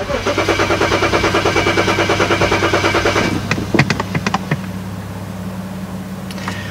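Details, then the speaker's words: BMW 335i cranks steadily at two beats a second but never fires; cause suspected to be an empty tank with a faulty fuel gauge reading wrong, after an earlier part replacement had not fixed the no-start. "my friend was like sometimes that gauge lies to you and your fuel like you're out of fuel like I guess there's something wrong with my gauge"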